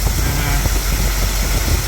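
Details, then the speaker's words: 1959 Cadillac Coupe Deville V8 with a carburetor due for rebuild, on new plugs and 8mm wires: deep idle with an irregular lope and stumbling beats, running a little rough; vacuum gauge suggests late ignition timing. "So what we have here is she's running a little rough"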